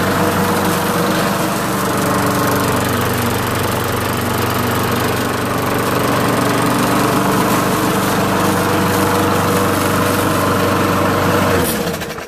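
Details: Small single-cylinder pull-start engine after its water-fouled spark plug was wire-brush cleaned and refitted: runs steady and even at constant speed with no misses or stumbles, then shuts down cleanly.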